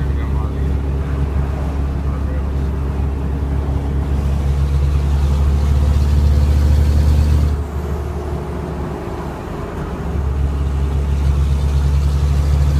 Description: Noise from exhaust leak caused by improperly aligned v-band flange at the downpipe of turbo.